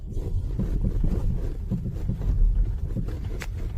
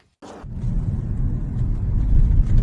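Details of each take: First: 2012-2020 Ford Focus (Focus 3) driving over potholes: irregular dull knocks from the front right over road rumble; front stabilizer (sway bar) links replaced. Sway bar link knock over bumps. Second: 2012–2020 Ford Focus after replacing front-right stabilizer (sway bar) link for pothole knocking: test drive on rough road gives steady low tyre and road rumble with no knocks or clunks; suspension now quiet and stable.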